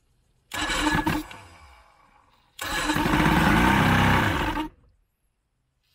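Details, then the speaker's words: 1987 Crestliner's 90hp Johnson outboard, sat about a year with fresh plugs, sprayed to start. Two short bursts of ragged firing, the second about two seconds, each dying out; intermittent firing, probably from water in the fuel. "and it's got probably a bunch of water in it but we'll see hopefully it doesn't bend a rod or blow my eyebrows off water flowing all right yep oh well she's uh kind of running that's good fired off again"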